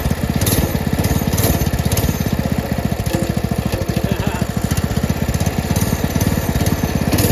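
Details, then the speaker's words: Brand-new Predator 224 single-cylinder engine on a homemade drift trike, just after first start: a fast, even putter with no misses or knocks; normal running. "I probably need to let the engine go through a cycle of heat cycle"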